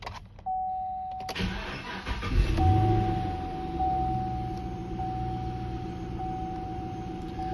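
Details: 2013 Chevrolet Camaro SS, 6.2 LS3 V8, 6L80 automatic, 79,157 miles, stock: short crank, V8 catches quickly and settles to an even steady idle with no knocks or squeals; healthy start.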